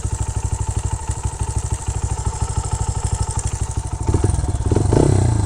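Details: 2009 Honda CRF80F single-cylinder dirt bike with Pro Circuit exhaust, just revived after sitting and valves freshly adjusted, started first kick: quick even thumping at idle while warming up, then a clean smooth rise on throttle; normal healthy idle.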